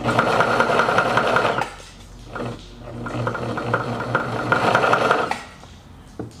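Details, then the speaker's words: Singer Stylist 814 flatbed sewing machine from the junk heap, first bench power-up; harsh clattering rattle in two bursts while the motor runs, handwheel clutch not working, plastic stack cam suspected, cause unknown. "makes a horrible racket what do we think that racket might be"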